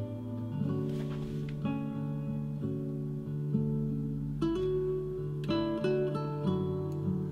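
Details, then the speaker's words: Yamaha HS7 studio monitor, 18 months old, after swapping in a new woofer drive unit: acoustic guitar plays cleanly with no crackle or distortion, confirming the faint distortion was the drive unit, not the internal amplifier. "that's sounding okay so it does look like it was the drive unit"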